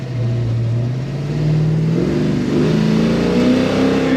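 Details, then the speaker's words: 1970 Chevelle SS after installing UMI lower control arms and QA1 sway bar, hard-jerk-to-side problem solved: deep V8 roar climbing smoothly under full throttle, no driveline clunks, tires spinning loose; normal hard acceleration. "I'll tell you what it just breaks the tires loose though the guy was smiling they just spin though Spin City"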